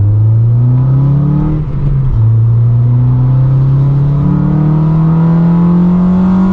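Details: 9th-gen Honda Civic Si with a newly installed Acuity cold air intake, heard from inside the car: the engine note climbs smoothly as it pulls through the revs, with a strong intake rush and no knocks, best above about 4,000 rpm; normal induction noise.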